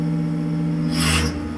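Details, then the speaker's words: CNC benchmill cutting an acrylic block, finishing contour cleanup pass: steady cutting hum, then a brief harsh rasping screech as the end mill enters a corner whose radius matches the tool, causing chatter. "That is a corner that is the same radius as the tool. For finishing, generally you want to avoid that."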